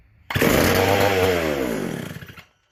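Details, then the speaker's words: McCulloch SP125 chainsaw after full carb rebuild, idle screw closed off: saw fires and screams at high revs with throttle closed, winding down over two seconds; idle far too fast, owner suspects leaning out; a large carb-to-intake gap was later found. "Like I said, rebuilt the full carb and everything and stuff, so seems to be running a little fast."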